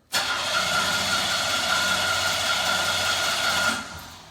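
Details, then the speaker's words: 1996 Buick 3.8 L 3800 V6 after oil pan replacement, started after cranking with the throttle held to the floor, then light throttle; cranks briefly, catches and settles into a steady, even run with no knocks or misses. Clean start. "I just gonna need a little bit I think we're good enough I'm gonna let go of the gas it just started"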